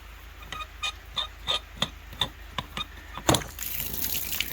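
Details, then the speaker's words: Frost-proof hose bib on a 3/4-inch line, water turned on: about nine sharp pops, roughly three a second, then water rushes through; owner suspects the valve is sticking in its seat. "you hear that little popping sound so it sounds to me like it's getting stuck in the seat"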